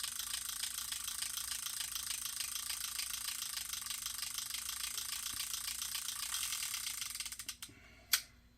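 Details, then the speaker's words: Vintage Pflueger Rocket 1355 "Knuckle Buster" reel after repair, WD-40 wiped off, handle slightly bent: fine, even clicking about three per second as the handle turns, quiet and smooth; normal gear and anti-reverse pawl sound. "Listen to that. You can't cast in an anti-reverse, obviously. Look how smooth it"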